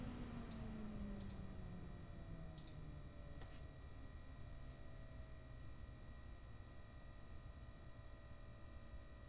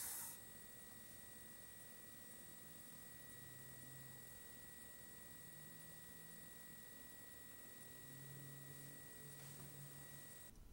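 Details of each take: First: PC with an AMD Radeon R9 Fury X, its radiator fan (apparently a Nidec Gentle Typhoon) ramped up and down to show the noise profile: a soft, even rush and low hum that falls in pitch as it slows, with no rattle; normal fan noise. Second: AMD Radeon R9 Fury X graphics card from the initial day-one batch with the known bad pump, fan stopped so only the liquid cooler pump is heard: a thin, steady, high-pitched whine that never changes.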